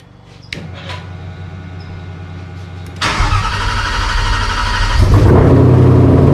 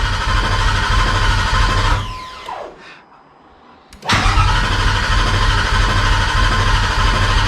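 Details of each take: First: Cobra Daytona with an Aluminator V8, first ever start; brief crank, then a loud but even idle that firms up; oil pressure good, but the tach is not working, a fuel pump issue remains and one exhaust has drooped. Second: Cobra Daytona replica, new Aluminator engine first start attempt, clutch in: steady rapid cranking that never catches; fuel pump not working, no fuel pressure, so no start.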